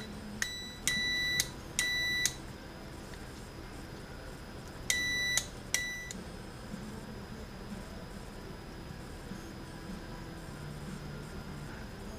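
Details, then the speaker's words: Airline 62-306 Teledial radio on/off switch and volume control: final continuity check after cleaning the contacts, before reassembly. Four short, clean high beeps in two pairs with no dropout; the switch contacts close normally. "you're checking the switch one more time here before I put this thing back together"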